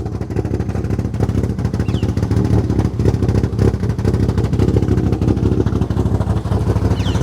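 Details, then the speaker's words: Toyota 4E-FE bottom end under a ported head with Ivan Tighe 292 camshafts and custom ITBs, with a choppy, lumpy loping idle and next to no vacuum at idle. "The idle does sound really cool. So yeah, she's lumpy as."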